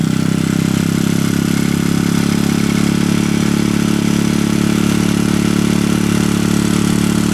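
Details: Honda Foresight engine past 40,000 km idling with a fast, light tick in time with the engine; owner suspects tappet (valvetrain) noise, not confirmed.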